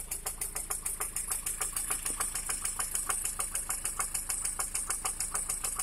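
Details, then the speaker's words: Lada Priora after replacing factory piston rings with gapless rings: sharp, evenly spaced metallic knock about three per second at idle, diesel-like knock from inside the engine. "Приора после замены заводской поршневой на бесстыковую получился прям дизель."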